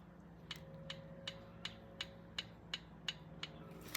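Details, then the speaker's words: 1971 Triumph T120, engine off, feeler gauge pulled from rocker: light, crisp, even clicks about three per second; valve clearance set with feeler gauges to 2 and 4, within tolerance. "I swear, and everybody's going to complain about this, I can tell whether they're 2 and 4 by the sound they make when you do this."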